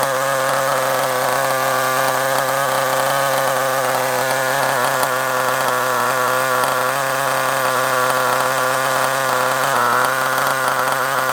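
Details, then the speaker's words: Kyosho Mini Inferno ST nitro engine: steady high-pitched tick-over sounding slightly lazy and low; idle speed set too low, turned up a little. "Bit too low. Let's turn it up a little bit. It was a little bit too low. I was trying to get the tick over just right."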